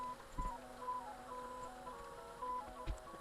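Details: 1994 Mr Christmas Merry-Go-Round carousel that would not rotate, after contact cleaning and a Dremel and hot-glue repair: quiet, even tinkling melody with a soft mechanical click underneath, smooth and unbroken; turning normally.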